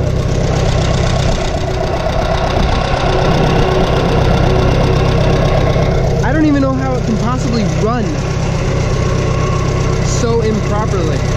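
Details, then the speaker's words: Farmall 140 industrial tractor, revived after 10+ years sitting, after spark plug wiring that fired the wrong cylinder was corrected: an even, steady low thump of about four beats a second with no misses, a healthy, smooth idle that sounds good. "not believe how much of a difference that made the engine sounds good"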